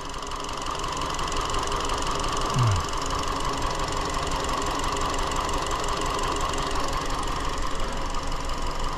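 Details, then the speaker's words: 2017 Hyundai Elantra 2.0L GDI non-turbo with intermittent P0303: uneven lumpy idle stumbling about three times a second; cylinder 3 dead misfire; scope suggests the cylinder 3 ignition coil may be bad, injector being checked. "okay so this is got a cylinder three dead misfire"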